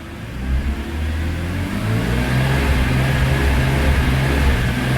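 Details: BMW E46 M3 petrol engine running warm: uneven, faltering low drone that stutters almost like a misfire, worse when hot, with lost top-end power; suspected Vanos, actually a faulty throttle position sensor, fixed by replacing it.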